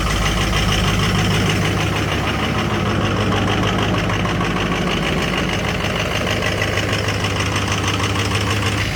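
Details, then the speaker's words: Diesel just started in 12-degree weather after 2 hours on the block heater, oil 56 and coolant 60 degrees; loud, uneven clatter over a deep lumpy idle, about three pulses a second, expected to clear once warm. Rough cold idle. "So I'm actually surprised she sounds so rough. She'll clear up in a minute."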